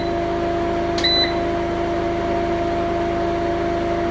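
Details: Newly installed diesel auto-start generator feeding an off-grid inverter/battery system at a Spanish farmhouse, oil checked, charging and output about 230 V; steady low hum, faint engine drone, one short beep. Inverter running normally on generator supply.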